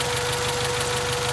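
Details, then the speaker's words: 1995 Acura Integra with rough idle, number 3 cylinder misfiring; low beat stumbles unevenly, cause uncertain, ignition (suspected bad plug wire or oil-fouled plug) or a vacuum leak, checked with carb cleaner spray. "because it's in just stumbling it could be ignition related okay or it could be air related okay"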